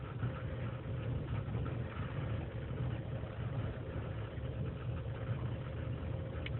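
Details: 2003 GMC Sierra Z71, 5.3L V8 non-flex fuel, cold start in single-digit temperatures, idling unassisted: low lumpy wavering idle with dips; lean and misfire codes, owner suspects intake gasket vacuum leak.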